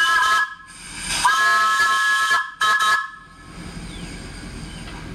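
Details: New vertical test boiler during first firing: loud chord-like whistle blasts in short bursts, then a lingering hiss from the leaking whistle valve.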